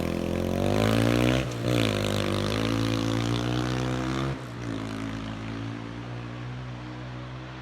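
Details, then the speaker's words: Honda XR250 after an engine rebuild replacing a broken countershaft that caused lost gears: on the test run it revs up cleanly and drops back to a steady, even idle with no knocks or clatter, running perfectly like new. "running perfect brand new one"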